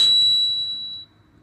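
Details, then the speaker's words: 2009 Toyota Venza, rear passenger-side wheel hub: thin high metallic squeal fading within a second; no play in the wheel when levered; bad hub bearing, hub to be replaced. "the uh rear passenger side Hub and squealing that's right there you hear that folks"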